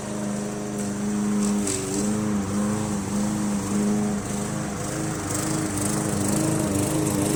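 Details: MTD Yard Machines 20" push mower with Briggs 300E engine, after carb clean, throttle spring adjustment and draining water from gas tank: steady single-cylinder drone with firm even beat under cutting load, no misses or surging; normal running under load.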